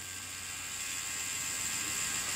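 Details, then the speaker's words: Tattoo machine running on a lab power supply at about 7–8 V through an adapter cable: thin, high, steady whir building slightly with no stumbling; runs faster than on the original cables at 10 V, normal operation at low voltage. "на 9 вольтах машина работает намного шустрее чем с оригинальными кабелями на 10 вольт"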